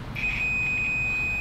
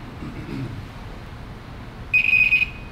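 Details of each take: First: the reason for that is that when you have a good connection the meter makes a really high-pitched annoying beeping sound Second: ange one on the other side and then we listen for a beeping sound and if we hear that beeping sound ah then we know that there's a short in there somewhere okay so we know that this orange wire is shorted to one of the other wires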